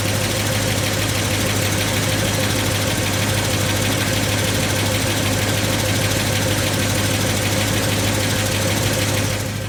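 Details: 1990 Ford F250 with a 5.8L 351W, speed density, 4WD and C6, after a Crane 444232 cam/lifter and TFS-2500-100 spring upgrade with the pushrods unchanged. Fast ticking of about three per second over a deep idle. Suspected lifter/valvetrain tick, unconfirmed.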